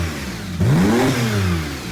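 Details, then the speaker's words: Wrecked Porsche 911 Turbo being rebuilt, engine not yet warm, after a strange hum was heard on an earlier start: a quick clean blip, revs climb smoothly and settle back with no knocks, misses or rattles. Normal revving. "runs like the day she came off the lot. Yes, sir, dude. She runs beautiful, man. Sounds good."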